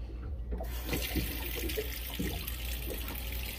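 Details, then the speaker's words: Sea Ray 380 Sundancer fresh water pump after an accumulator tank install: a steady low hum under the running tap, quieter than before. It shuts off with the tap and no longer cycles. "hear the pump right there it's actually a little bit quieter and watch when i shut it off it automatically shuts off it doesn't continue to cycle"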